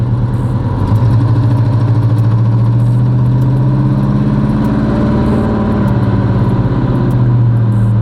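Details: 1984 Chevrolet Caprice driving with the alternator unplugged: low engine drone holding one flat pitch, no response to throttle, gears won't change, tops out at about 25 mph; bogging, later traced to the carburetor's fuel-flow pop-off spring.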